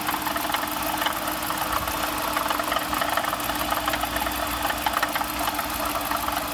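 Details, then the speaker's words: 2015 Dodge Durango R/T at idle, under hood: busy metallic rattle with scattered ticks over steady engine drone, grew very loud recently; source unknown. Finding: rattling noise at idle. "I'm having this rattling weird noise under my hood and yesterday it got very loud so if anybody can help that will be great"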